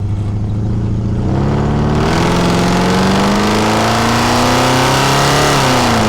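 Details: 1977 Ford truck, after replacing a failing ignition coil that caused misfires only under acceleration: engine note climbs cleanly and evenly under load, no stumble or dropped beats; smooth acceleration.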